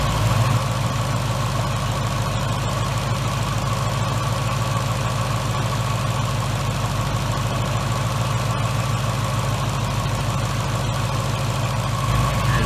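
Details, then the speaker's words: 2018 Mustang GT with 3.0 L Whipple supercharger, 10R80, heard at driver's side of engine: smooth, even V8 idle, quiet, with light fast fuel-injector tick, no knock or miss; healthy. "on the driver's side of the motor you hear it it's nice and quiet early here is the fuel injectors just kind of snapping away like any other peyote motor"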